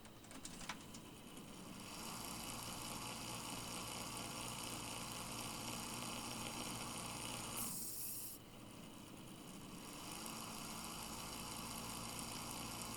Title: a seriously bad fan bearing.